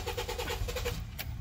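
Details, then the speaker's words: 2007 Honda Fit crank-no-start: the starter spins the engine at an even, fast chug for about a second without catching; bad fuel pump module. Relay and fuse were good, and the starter was first suspected. "2007 Honda Fit, and it wasn't starting. So, all right, so what the car was doing, it was just doing that,"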